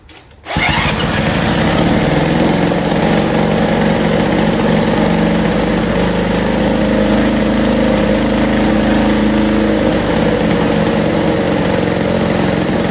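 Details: Lawn Boy 3050 mower after new wheels, ignition adjustment, spark fix, throttle control and tank cleaning: catches after a short pull into a steady, even two-stroke drone; normal running.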